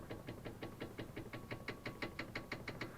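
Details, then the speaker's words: Toyota brake caliper with the wheel off, rocked by hand: sharp metallic clatter of about three knocks per second. On the road it knocks loudly over uneven surfaces. Loose caliper rattle; worn guide bolts suspected. "это мы видим вот такое болтания суппорта и вот таким вот грохотом как бы звук очень неприятен порой иногда кажется что едешь вот неровные дороги и люди на тебя оглядываются"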